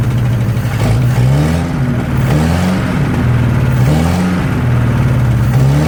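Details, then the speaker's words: 1963 Nissan Junior ute, sat 15 years, carburetor leaking: lumpy, hunting note sagging and surging every second or so, never settling to idle; lean from an intake leak. "Well, she runs. Don't want idle though. Seems to be maybe running out of fuel at idle."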